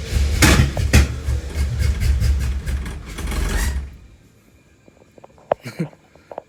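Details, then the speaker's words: 1974 Camaro with a built 350 V8, started after sitting a long time, easy to flood; deep, lumpy bark with uneven pulses and pops for a few seconds, then drops away. Rough cold start, oil pressure about 50. "she's not happy [Music] oh it's been quite some time since it's been started"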